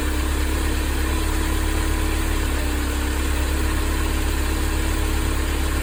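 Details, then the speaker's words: Mercedes-Benz 190E 2.0 W201 (M102), idling after replacing worn belt tensioner, damper, adjuster fittings and belt; smooth, even low rumble, no squeal, chirp or rattle from belt side; belt tension fine, belt drive healthy. "Encendí el motor y verifiqué si la correa estaba floja. Parece que no hay ningún problema."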